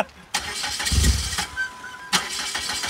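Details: Turbocharged 2.4-litre PT Cruiser with only about a quarter cup of fuel left: short bursts of starter cranking that die off without the engine firing. It cranks but won't start, possibly fuel starvation; priming is likely needed.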